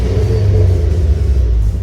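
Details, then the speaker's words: 2010 Ford Focus RS with 115,000 miles, first start after sitting about a year, now warmed up to temperature with good oil pressure: deep, even low rumble with a steady beat and no knocks or ticks; running cleanly. "still sounds magnificent right that sounds great"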